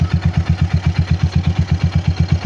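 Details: RC250 with over 34,000 on the odometer, original battery, started by the emergency start method since push button fails: steady, even idle thump about six beats a second, no missed beats or metallic clatter; idling smoothly.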